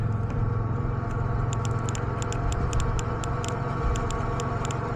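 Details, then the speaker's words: Mazda NA Miata with a 1.6-to-1.8 engine swap that won't start; injector test with power probe on injector #1, which clicks hard: sharp crisp clicks about five a second over low hum, normal fuel injector click, while other injectors are faint. "So I'm gonna go ahead and test number one, which we know was actually clicking real hard."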